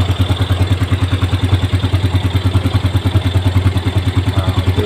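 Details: Yamaha Jupiter Z1 brought in for weak starting, which was traced to a weak battery, with charging reaching about 13 V: steady, even thump about two and a half beats a second with light clatter; the small single idles smoothly and healthily.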